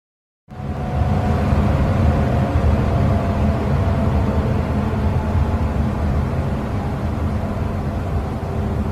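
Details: Furnace ECM blower motor: low droning moan/groan with faint steady hum at startup and shutdown, stops when power is cut; suspected motor control tuning issue.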